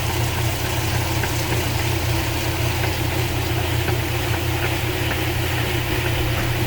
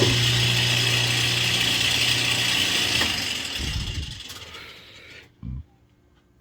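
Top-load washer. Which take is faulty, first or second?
second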